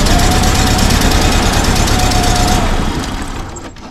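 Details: 1952 Volkswagen Beetle after sitting about 40 years, fuel pump and spark confirmed; loud, rapid cranking about three beats a second that dies away without catching; cranks but won't start.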